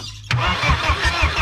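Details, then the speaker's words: BMW E36 with a freshly installed turbo M44 engine. A click, then steady cranking at about five beats a second that never fires: crank no-start with no fuel delivery. Owner suspects the fuel pump lacks power or gets no signal because EWS isn't deleted. "it's okay and we're not even getting any fuel so either the fuel pump isn't getting power or it's just not get a signal because ews isn't deleted"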